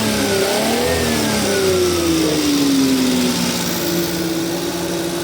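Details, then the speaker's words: Multicab small petrol engine after the distributor timing was corrected; it revs up and settles smoothly, pulling strongly with no misfire or stumble. Healthy revving. "O yan patayin mo nga doon patayin mo susi yan okay na lakas na lakas na ang kanyang power. Lakas na kanyang revolution."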